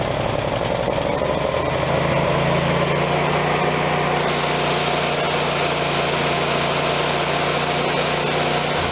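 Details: Craftsman YS4500 tractor, Briggs & Stratton 22hp OHV Intek twin, after full carburetor cleaning and reassembly: picks up cleanly and holds a smooth constant drone with no hunting or misses; normal running without choke.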